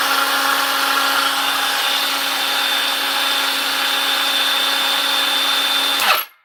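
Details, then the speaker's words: Milwaukee M18 brushless saw, found in terrible condition, running after repair: smooth, steady high motor whine at even pitch, then shuts off cleanly; repair successful, normal running. "we've got a fix guys we've got a fix so that's one down"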